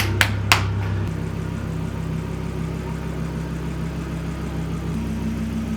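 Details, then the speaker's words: Volvo V70R first start after engine reinstall and manual transmission swap with single-mass flywheel: starts straight up and holds a smooth, steady cold idle with an even low thrum, no ticks or flywheel chatter; healthy. "I don't hear any noise from it it's perfectly silent the car sounds incredibly healthy"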